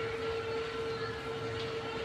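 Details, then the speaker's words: Nico Arc MMA 250 A 5-plate IGBT inverter welder, new 24 V cooling fan installed replacing jammed one: quiet, steady mid-pitched hum with no rattle or scraping; fan spinning freely and healthy. "तो एक बार इसको हम test कर लेते हैं। Fan मैंने लगा दिया। फैन चालू हो गया। कोई दिक्कत नहीं।"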